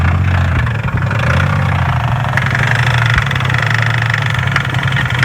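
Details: 2007 Pontiac G6 V6: loud rough idle with uneven knocking in the low drone; something knocking inside the engine, source not pinned down. White exhaust smoke said to be water vapour; damage suspected on cylinders 2, 4, 6. Cause unconfirmed.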